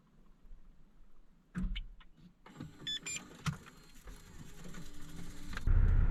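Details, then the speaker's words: Damaged Nissan 370Z: several quick clicks and a brief clatter but the engine never spins over; no-crank. "ll right let's give it a go see if this thing will CR crank and nothing sounded like the battery didn't even try to kick over the starter one more [Music] time actually it sounds like it's kicking uh but maybe the motor is locked up"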